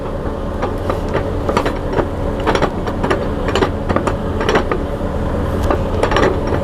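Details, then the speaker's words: Freightliner Cascadia truck whose differential was damaged by running on low oil: heavy metallic bangs about twice a second over a steady driveline hum while driving on the road; a seized power divider clunking as the driveshaft turns. "Ese es el ruido que podían escuchar cuando el camión estaba en marcha cuando estaba caminando sobre la carretera"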